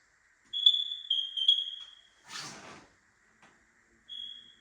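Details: New house on a DIY 400 A electrical service, 15 A lighting/smoke-alarm breakers switched on: short high-pitched chirps near 3.5 kHz, a few in quick succession then one more as alarms power up; normal.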